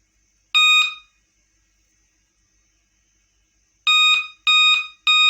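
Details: Dell Inspiron 11 3000 laptop gives five loud, shrill beeps at startup but still works; beep code points to a failed CMOS coin battery, fixed by replacing it.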